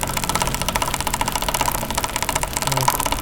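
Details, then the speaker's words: Motorcycle chain sprocket area: fast, sharp, steady metallic ticking like a sewing machine, as if sprocket teeth were broken; actual cause is a dry, ungreased sprocket seat knocking, fixed free by removing the two 10 mm bolts and greasing. "आपने आवाज सुनी कितनी खतरनाक आवाज है और ऐसे लगता है जैसे बिल्कुल गरारी के दनाते टूट चुके हैं।"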